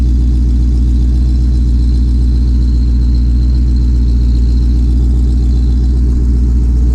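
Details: 2020 Shelby GT500 Mustang V8, freshly fitted with a Whipple 3.8 supercharger, idling as it warms toward operating temperature: steady, even low rumble with a smooth, regular pulse and no knocks or ticks. Normal, clean idle.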